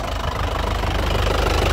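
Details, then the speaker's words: 2017 Isuzu Panther LS Turbo diesel, 130,000 km, at idle: steady even clatter with no misses or surging and quiet vibration, described as stable with good injector nozzles and pump; exhaust shows no smoke; healthy idle. "jadi masih stabil tandanya mobil tidak pincang berarti masih bagus untuk noxel sama bos komomnya juga masih bagus ya dari suara bagus dari getarannya juga bagus"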